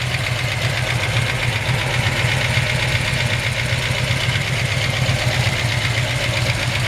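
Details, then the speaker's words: 1970 Chevrolet C10 stepside, mild-built 454 big block with roller rockers, solid lifters, Holley-type carb, three-speed automatic: steady V8 idle with fast, even light ticking over the exhaust; normal solid-lifter clatter. "it does have roller rockers you can hear the clicking of solid lifters"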